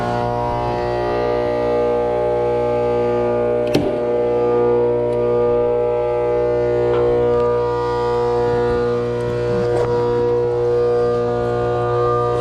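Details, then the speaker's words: Trane condenser (2004, XB12, about 4-ton, R22) with an 825 RPM, quarter-horse, 208/230 V fan motor that is loud as can be: a steady droning hum with a rough whine. Bearings are shot and the motor needs replacing. Head pressure is very low, so a leak is suspected. "Clearly that thing is loud as it can be and needs to be changed."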